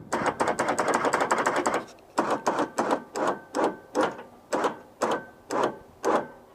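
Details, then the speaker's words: Newly installed ATV winch on a Polaris Ranger, first test after battery hookup: strong, even electric motor whir in short bursts about twice a second as cable spools in; winch pulls in normally. "Awesome. It is working good. So there you go. We have installed an ATV winch."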